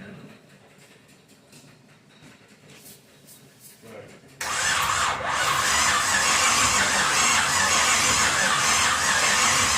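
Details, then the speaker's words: Pontiac 350 V8 in a 1950 Pontiac gasser with 6-speed, first fire-up with headers on, some fuel in the bowl: quiet start then steady, even cranking, no firing; won't start, timing possibly off, battery needing a charge. "We'll have to do something with the timing, maybe. Get this battery charged up a little bit. It's cranking over at least."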